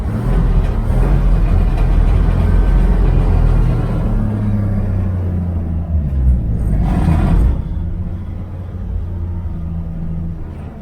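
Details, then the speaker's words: 1969 Chevy Van, off the road 35 years, cold start after a week unused, idling: deep heavy rumble with loose buzzing rattle from metal body and unsealed panels; body panel rattle and vibration at idle, before seam sealing. "So you can hear it vibrating right now."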